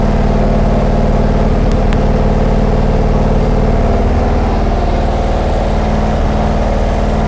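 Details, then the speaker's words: Big block Chevy 489 with hydraulic lifters, freshly started on a dyno with timing set near zero, gives a light, fast tick over a lumpy idle in time with engine speed; a lifter found empty of oil. "Hydraulic. Yeah, then we're gonna usually give it a minute or so for the lifters to pump up with the oil pressure. Yeah. That one's quiet, that one's noisy"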